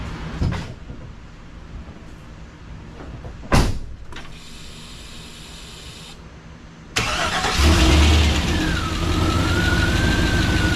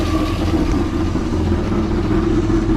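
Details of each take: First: Freshly rebuilt 6.0 LS LQ4 V8 with a Summit stage 1 truck cam, in a 1986 Suburban C20, first cold start: cranks, catches, rough puffing idle from an exhaust leak; valve train sounds good. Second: Freshly rebuilt 6.0 LS LQ4 V8 with a stage 1 truck cam, in a 1986 Suburban C20, at first start-up idle, not yet warm: steady, slightly lumpy rumble, valve train sounds good, only an exhaust leak.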